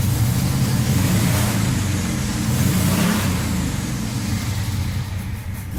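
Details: 1978 Scirocco with swapped 24v 2.8 VR6, first run with partial throttle: clean revs with raspy puffing over the exhaust note as revs climb; suspected exhaust leak.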